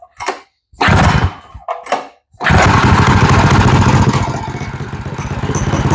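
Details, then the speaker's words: Drift trike small engine's first pull-start after fitting a new ported head and adjusting valves: catches after a few tugs, quicker than before, and settles into a steady, slightly lumpy idle on choke with no knocking. "Actually fired up a lot quicker than it used to. Than what I remember."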